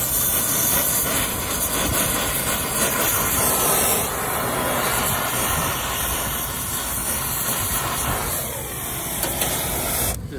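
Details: New Hoshizaki ice machine install: the vacuum pump pulls down only the line sets, reaching 956 microns. A steady rushing hum and hiss that holds even throughout means the vacuum pump is running normally.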